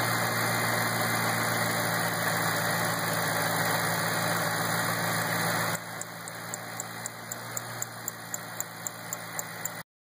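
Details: 2008 GT500 at idle: steady idle with a light, even tick about four times a second on top; owner suspects a bad belt, not confirmed.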